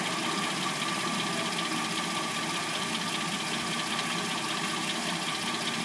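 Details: 2006-09 Hyundai Sonata with replacement engine, first start after sitting overnight, now at steady warm idle: light, uneven top-end clatter about two or three a second; owner assumes timing chain, not confirmed.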